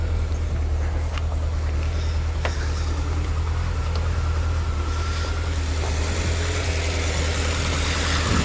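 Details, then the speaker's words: Rover P6 in cold weather, started after about three weeks sitting, choke on: steady, even low thrum at raised idle with no knocks or misses; normal idle. "as you can see she started up reason me quite well I will let run for a little bit I don't matter it runs out petrol"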